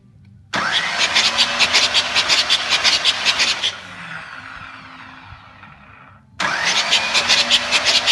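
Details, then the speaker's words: Newly built Pontiac 400 engine in a T37 project, bumped over at first start to bleed the lifters before checking valve lash: fast choppy cranking with a thin high whistle that fades as it spins down, with oil coming out; whistle source not pinned down. "give see the oil coming out of [Applause] this you can kind of hear it whistling as well it has this uh sound"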